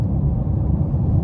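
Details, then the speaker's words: 2014 Chevrolet Impala at highway speed after new hub bearings and new driver-side front and rear tires: steady low tire rumble with no shake or growl; the noise is gone and only road noise remains. "Even when I put them hub bearings on, I was still hearing that noise. It wasn't as loud, but I was still hearing it. But like now, I don't hear it at all. I just hear the road."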